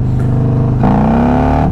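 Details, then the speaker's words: 2022 Harley-Davidson Road Glide being ridden in gear from low rpm: on throttle the revs shoot up smoothly and quickly while the bike barely moves. Classic clutch slip, before the new clutch is fitted. "you probably heard that when I get on it you hear like the RPMs shoot up but the bike's nearly not moving that's why I was telling you guys in the past video about the clutch actually slipping"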